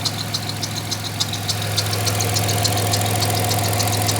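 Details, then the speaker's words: 1996 Grand Caravan petrol engine warm idle after fixing vacuum leaks (one split line found): hiss gone, idle smoother, light belt squeaks chirping about three times a second. "No more hiss. Bunch of squeaking, but that's sorted."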